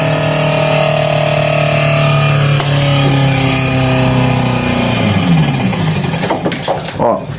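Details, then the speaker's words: Brastemp Frost Free BRE57AB Inverse two-door 443 L refrigerator, interior partly disassembled: strained evaporator fan drone sagging in pitch, then rough clattering as blade strikes ice, nearly locking up and would burn out the fan. "chegou num ponto que ela já tava querendo travar ela ela ia começar a travar agora e simplesmente trancar esse ventilador e acabava queimando Com certeza"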